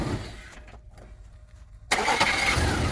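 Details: 2002 Chevy S-10 4.3 Vortec V6 right after starter replacement: brief crank, then the engine catches with a sudden roar and settles into a steady run; new starter engages and fires cleanly.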